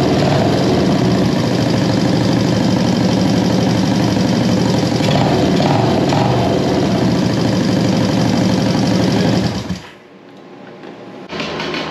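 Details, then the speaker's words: 1973 Honda CB350G twin just fitted with a Mikuni VM28 carb kit, petcock leaking; ticks over at a steady, even idle for about ten seconds before shutoff: normal idle, it's a runner. "hey guys so there you have it it's a runner"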